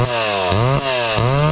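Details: Homelite Super XL (Big Red) chainsaw with new chain and chrome new-old-stock muffler: crisp two-stroke blips three times, climbing and dropping cleanly without stumbling or misfire; healthy running.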